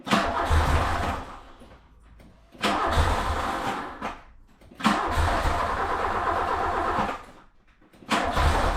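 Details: VW Mark II Polo GT Breadvan that cut out while driving and would not restart: four cranking bursts of about two seconds each, spinning freely but never catching; it had run out of petrol.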